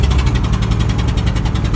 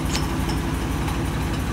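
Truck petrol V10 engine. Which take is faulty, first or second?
first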